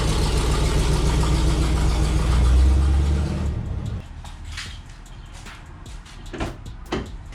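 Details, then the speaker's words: 2004 Honda Civic EM2 with new spark plugs: steady, even low idle with no knocks or misses. A clutch throwout bearing noise was noted elsewhere. "car is addling really good"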